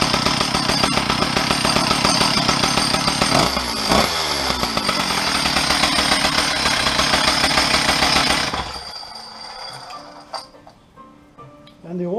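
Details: Stihl 034 chainsaw, parked 10–15 years, slightly cracked muffler, first start: a high two-stroke buzz revs steadily for about eight seconds, then shuts off cleanly. Runs strong and even; the owner suspects wires had been shorting.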